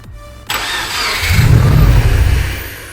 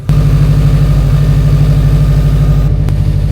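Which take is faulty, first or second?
first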